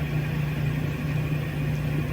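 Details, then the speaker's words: GE Filter Flo SpotScrubber washer on spin with a worn clutch, clutch dust on the drum, draining fine: steady low droning hum that gets slightly quieter but never climbs in pitch; drum can't reach spin speed due to a slipping clutch. "Clutch gets a little quieter as it tries to get up to speed, but it'll never make it."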